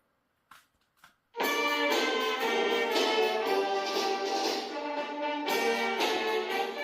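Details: Acer laptop after replacing hoarse, distorting speakers, volume at 100% maximum: music plays clean and full, no rattle or crackle on loud notes; normal speaker playback.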